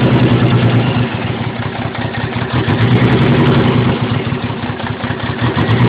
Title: 300zx running on 4-5 cylinders due to a bad injectors and old clips